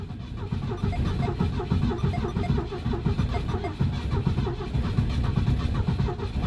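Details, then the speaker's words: Classic Ford at about -30 degrees: even starter chugging for nearly seven seconds, the engine trying to catch but never firing; a cold crank with no start, the starter rested to avoid burning it out. "Oh, she wants to so bad. I don't know if she's going to go, though, to be honest. And I really don't want to burn out the starter, so just give it a second here."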